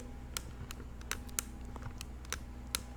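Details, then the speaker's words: Fluidity Tech FT Aviator controller, first review: stick movement produces scattered sharp clicks, snapping from spot to spot instead of gliding; not smooth at all, notchy mechanism. "snaps. It's not smooth at all."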